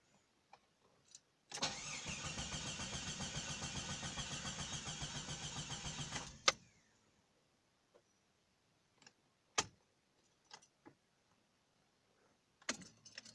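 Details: 1995 Jeep Cherokee XJ Sport 4.0L 4x4 with a new battery: the starter spins briskly and evenly for about five seconds with no firing stroke; it cranks but won't start, with check-engine codes shown.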